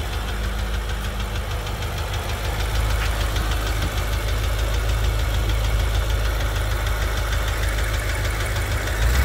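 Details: BMW M5 F10 S63TU engine at steady idle: fast, light ticking about three per second riding over the engine; source unclear.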